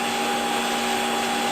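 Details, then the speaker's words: Hottop KN-8828P coffee roaster in final roast segment, fan at maximum speed: even steady fan rush, constant hum, drum audible, no knocks or rattles; normal fan at full speed. "So this is as noisy as the Hottop gets during roasting, and you can still hear the movement of the drum quite clearly over the fan. So again, the fan is not an overly noisy fan, but it's quite effective at what it does."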